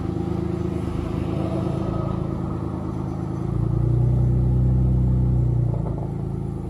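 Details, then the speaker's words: 1994 Dodge Stealth RT twin turbo project car at idle, owner notes an exhaust leak that sounds horrible, plus an unlocated oil leak underneath: rough idle with a regular puffing tick, about four per second, following engine speed; exhaust leak. "i also got an exhaust leg it sounds horrible but yeah"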